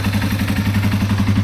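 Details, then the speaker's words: 2005 Yamaha TW200 single, reassembled after valve adjustment and an exhaust fix that removed a rattle: even, quick idle thump with no exhaust rattle or ticking; runs clean and healthy. "Engine sounds perfect. Listen how quiet that exhaust is, man. Oh yeah, I got rid of all that rattling."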